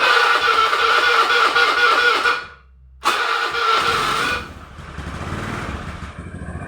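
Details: Honda Beat carburetor scooter with an ignition/electrical complaint, after fitting a new original rectifier: starter whirs, the engine catches and settles into an even idle, then restarts cleanly; the CDI is judged good; normal start.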